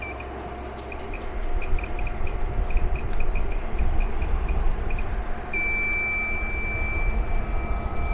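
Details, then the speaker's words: REDODO 2000W 12.8V pure sine inverter at ~1135 W plus added heat gun: quick high chirps in irregular bunches becoming a constant shrill tone while still running; no fault icons shown, cause unknown, chirping seemingly began above ~1100 W. "it doesn't like that at all I mean it's still going but it's sitting here screaming"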